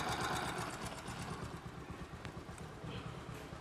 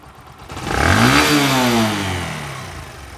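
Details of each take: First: Old Bajaj Discover 125 single-cylinder bike at idle, valve, cam and rocker arm already replaced without curing the noise: light quick "chik chik" ticking over a steady idle; worn valve guides letting the valves chatter. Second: Old Discover 125 bike after fixing a bad engine noise (valves and cam rocker replaced, tappets not just adjusted): a short blip rises and settles to a smooth, even note with no ticking or rattle; engine sounds healthy.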